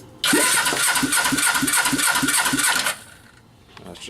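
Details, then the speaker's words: Suzuki GS500 motorcycle engine just reinstalled, plugs in, carbs not yet fitted: starter spins it with even chuffing about three pulses a second, healthy compression. "plugs are in let's hear how it cranks up and now there's got some compression"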